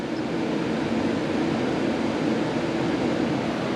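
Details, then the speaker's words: BMW E9x after radiator flush, engine off, ignition on, electric water pump running its bleed routine with heat at max: steady hissing rush and buzzing fizz with watery churn; trapped air being purged from coolant. "so you'll hear it you'll hear it start to buzz and fizz and do all these things"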